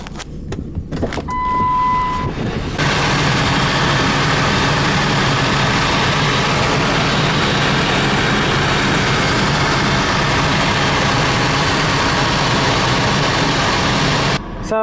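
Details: Ford F-150 (1997–2004) idling after a fuel filter change, with fuel pressure restored: even, steady idle with a smooth low drone and no misses or knocks; healthy running.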